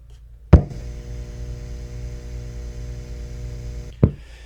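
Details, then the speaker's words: Old guitar amp with no grounding pin or noise suppression, plugged into grid power as a baseline: a click, then a steady low buzz with faint overtones for about three seconds, then another click; the slight expected mains hum. "All right, so slight hum, and if you watched any of my videos before on this particular thing, that should not be a surprise."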